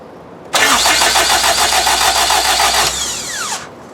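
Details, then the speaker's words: Honda K20 engine swapped into an EK hatch, first cranking with the engine prevented from starting to build oil pressure: steady, even starter cranking at three to four pulses a second, no firing, then spin-down; oil pressure reached about 40, healthy. "so we're going to crank it until we see the oil light go off and your oil pressure gauge you know we'll see a good number"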